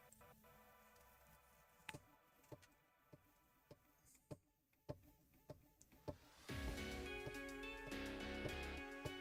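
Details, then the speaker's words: Prusa MK4 3D printer during first setup self-test after load-cell nozzle tap: light ticks roughly every half second, then an even, quiet buzzing hum as the axes move; smooth stepper motion, quieter than a MK3. "okay so it trimmed out this is a lot quieter moving at these speeds of the Mark III"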